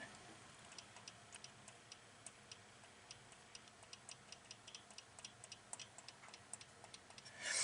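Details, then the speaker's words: Unidentified relay in a 2017 GMC Denali X50A underhood fuse block (replaced over wipers not working), bench-energized: faint light ticking about three per second, barely audible, no solid clack; weak relay click. "okay I can barely barely barely hear that relay so let me see if I can pick this up again"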